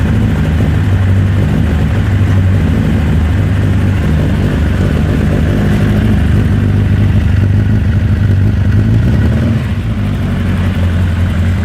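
Steady low engine rumble at idle with an uneven, lumpy beat and no clean rhythm; the engine is idling rough.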